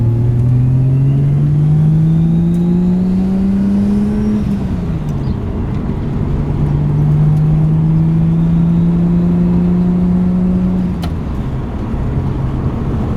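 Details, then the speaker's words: Nissan 180SX under boost after differential swap: engine pulls cleanly through gears, no clunks or gear whine, gearbox smooth with no crunches; driveline healthy. "No noises, everything's sounding good. Super stoked about that. Gearbox sounds good too. No crunches, feels really smooth as well."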